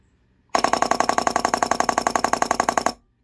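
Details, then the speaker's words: Rebuilt SU electric fuel pump from a pre-war car, bench-tested on a 12 V digital supply before the filter, one-way valve and connections were fitted: rapid, evenly spaced machine-gun-like clicking for over two seconds, then it stops. Normal pump operation. "the sound of these always reminds me of um world war two vickers machine guns it's about the same sort of firing rate i guess"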